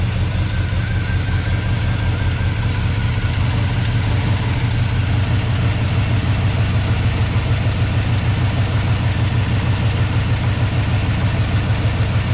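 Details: 1972 GMC 1-ton ramp truck, 454 Chevy big-block, revived after 27 years, fuel pump reconnected: deep steady idle with an even beat, no tapping or knocking underneath; oil pressure pegged, sounds healthy.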